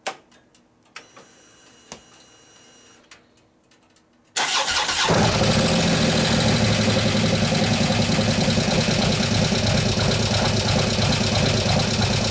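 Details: 2015 Harley FLH Road Glide, 103ci Twin Cam, after a camshaft install and new oil pump: a few quiet clicks, then start-up and a quick, steady ticking at idle. The lifters are still not pumped up after an unusually long time.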